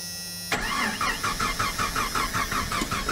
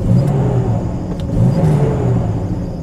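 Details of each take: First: 1990 Jeep Comanche start-and-stall: about four cranking beats a second, catches, runs a few seconds and dies; fuel pressure gauge at the front Schrader valve reads only about 10 PSI, fuel delivery problem. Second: 1990 Jeep Comanche after repair, driving at full throttle: engine pulls cleanly with a smooth rising rumble, no cutting out, hesitation or skipping; repaired and running well.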